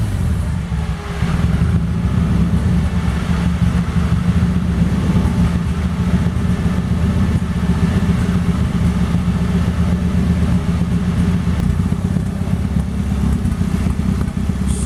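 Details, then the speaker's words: 1998 Toyota Paseo turbo build (Precision 5831e turbo, Haltech ECU, forged internals) on open exhaust: deep loud steady drone at idle; just the open exhaust setup, engine running fine. "you're probably wondering why my car sounds like that. That's where the exhaust is, if you can hear me."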